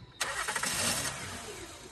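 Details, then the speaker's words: 2010 Honda Odyssey, almost 170,000 miles: engine cranks and catches with a sharp burst, then sputters and dies within a second; starts then stalls from a faulty mass airflow (MAF) sensor, confirmed with an OBD2 scanner. "What do you do when your car starts, sputters, and dies, leaving you stranded in the dark?"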